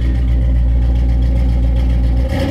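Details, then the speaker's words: High-compression small-block Chevy 350 after sitting, just jump-started with a jump box: deep lumpy even V8 rumble firing steadily, no knocks or misses; normal running. "but yeah man we got big bad Iron Man started up bad boy cleaned up"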